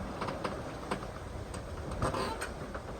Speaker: Bit of squeaking and groaning comes from our boom there, but it's a small price to pay for the relative comfort.